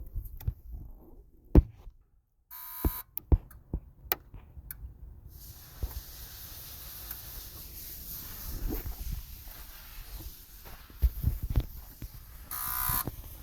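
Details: Ford 6.0 Power Stroke diesel, engine off, key on, scan tool injector self-test: short sharp buzzing bursts over clicks and shop noise as all eight injectors fire normally.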